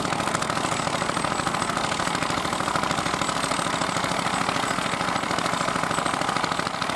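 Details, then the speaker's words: Vintage Fiat hot-bulb (testa calda) tractor, exact model unknown, ploughing at a festival: even, slow thumping at roughly 200 beats a minute, steady and unbroken under load. A healthy hot-bulb single running normally. "Sì è un'altra Fiat Ma che Fiat è quella lì è un testa calda sentite come batte è un testa calda"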